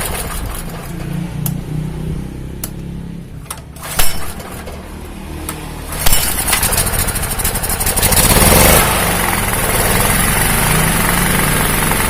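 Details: 2000W genset with a Honda GX160 engine, after the replaced ignition coil cured its hunting. After a few cranking clatters it catches and settles into a steady, even run with no surging. The genset sounds healthy.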